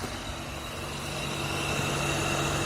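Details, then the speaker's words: VAZ 2112 radiator fan, which had started whistling in heat near 40°C and was rusty from water and engine washing, runs after removal and reassembly: steady even whir over idle, no rubbing or squeal. Slight play remains in the worn impeller hub. "нет посторонних шумов нормальный"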